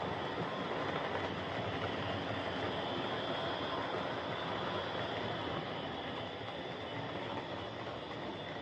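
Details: Hornby Dublo R1 0-6-0 tank engine model locomotive, possibly about 60 years old and well run with brushes worn right down, running on the layout: a loud, steady rushing whir with no knock or rhythm, far noisier than it should be; loud gear noise from the old Dublo motor.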